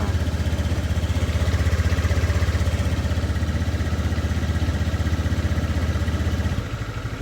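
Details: Honda Beat FI scooter that wouldn't crank, after battery reconnected and terminals tightened: steady even single-cylinder putter about four beats a second, smooth and regular before shutting off. Healthy idle.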